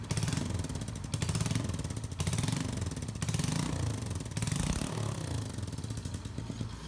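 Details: Honda Biz 125 that is also smoking: rough idle with an uneven, rapid knocking pulse and surges about once a second, abnormal engine noise, cause unclear.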